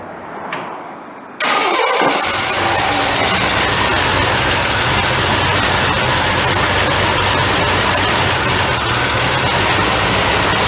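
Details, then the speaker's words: 1983 Jeep CJ5, cold start with new carburetor, old plugs and wires after cleaning a couple of plugs; cranks, catches, then lumpy uneven idle stumbling about twice a second, not firing on all cylinders; misfire from fouled plugs, new plugs and wires to follow. "we still ain't getting on all so all right that's all we're going to run it for now"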